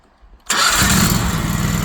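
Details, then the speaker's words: Wacker RD27 mini roller with a new Predator 670cc engine replacing the locked-up original, after battery charge and rewiring: catches at once after a short crank and settles into a steady, even idle; sounds healthy. "Start it right up. Sounds good."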